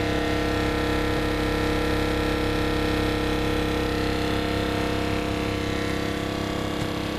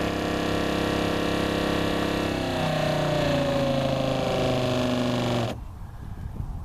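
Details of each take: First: Northern Tool water pump on a homemade Harbor Freight trailer watering cart with Tractor Supply tanks, hose open: constant motor drone with a steady hum over a low rumble, no knocking or surging; pump running normally. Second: Northern Tool water pump on a homemade watering cart with the hose valve shut: steady whir whose pitch sags as pressure builds, then cuts out abruptly; it cycles on and off because the hose valve was not fully shut, leaking pressure.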